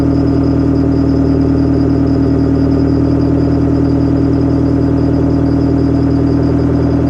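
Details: Detroit Diesel 4-53TIB two-stroke diesel, rebuilt Silver series, cold idle outdoors at about -7 to -10°C after Webasto preheat, no oil heater, oil about 28°F: steady, even, unbroken beat with no knocks or misses. Normal cold idle.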